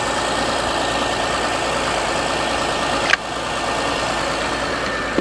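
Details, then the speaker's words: Nissan Armada, possibly an '05, jump-started, fired up instantly; smooth, even idle with no knocks, misses or hunting, AC clicking on, sounds perfect: normal idle. "This is nice. It sounds perfect. This is real nice."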